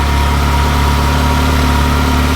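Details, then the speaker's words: Yellow 360 after a major service and intake manifold gasket fix, warming up to temperature with slight smoke from oil spilled on the headers: a smooth, even idle with a steady low rumble and no knocks, misses or rattles. Normal idle. "It's still on the lower. Yeah, just letting it get up to temperature, adding some oil, making sure everything works. So far, so good. It sounds good."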